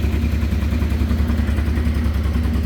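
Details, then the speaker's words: 1989 Honda Transalp 600V V-twin, ice-cold start, half choke at about 1,300 rpm; steady, even low thrum at raised cold idle with no knocks or misses; normal fast idle on half choke. "So I'll bring the choke down to half. About 1,300 RPMs."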